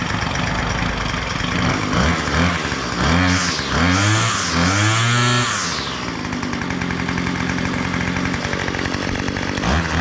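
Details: Two-stroke weedeater running after a new crankcase cover was fitted, with an internal pin left free-floating: it catches, revs up and down cleanly, then settles into a steady buzzing run; running properly.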